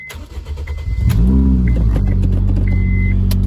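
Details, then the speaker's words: Honda Fit/Jazz with aftermarket muffler: engine catches and settles into a loud, droning, raspy exhaust note far louder than stock. "I'm going to keep the regular muffler that's on here it's the OEM Muffler so hopefully that fixes the loudness and grossness that this car was putting out"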